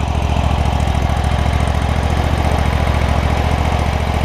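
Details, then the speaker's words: John Deere ZTrak Z915E zero-turn mower, Kohler Command CV742 25 hp V-twin, 341 hours, sat 2 years; after carb clean fixed sticky solenoid no-fuel issue: even steady low thump at idle, no misses or stumbles, normal healthy idle. "CV742. Big boy, 25 horsepower. So, man, that thing runs so good. Runs really good."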